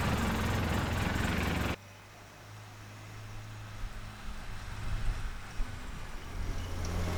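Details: Polaris Ranger XP after repairing a no-crank fault: a shoddy previous-owner brake pressure sensor bypass jumper was replaced with a soldered permanent bypass. Loud cranking burst cuts off, then a low, steady idle with an even pulse and no misses.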